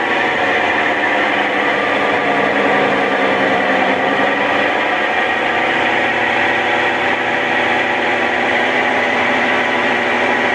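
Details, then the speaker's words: Brastemp Ative 11 kg washer with a new capacitor, run on spin with the lid open: steady, even whir with no knocking, scraping or surging; it spun, then stopped; normal spin. "viram aí né nesse momento ela centrifugou e parou"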